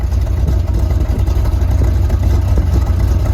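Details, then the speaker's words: 1971 Corvette with a rebuilt, numbers-matching V8, heard from the rear at the tailpipes while idling: a deep, even burbling rumble with no misses or ticks. Sounds like a Corvette should; normal V8 idle. "And it sounds like a Corvette should."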